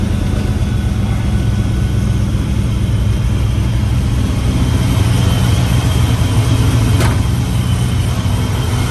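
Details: 99-04 Mustang GT/Cobra V8 with ProCharger after new serpentine belt and smaller pulley install, belt tight: steady, even idle with a smooth low rumble and no belt chirp or squeal; sounds healthy.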